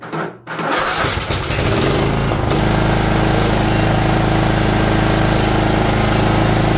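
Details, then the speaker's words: John Deere LT160 Automatic mower after years outside, creeping forward and back while fed from a funnel: slow uneven loping single-cylinder beat with low rumble, a "Harley idle"; idle speed set too low, owner plans to turn it up slightly. "oh yeah it's a Harley idle circuit sweet I bet we can turn that up just a hair and it'll be fine"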